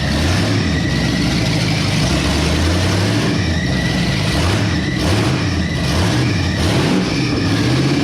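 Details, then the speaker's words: 1962 Mercury V8 with new carburetor and newly rigged throttle linkage, open headers: deep, steady burble with even firing and no misses or knocks, a nice, healthy idle. "that's a pretty nice idle"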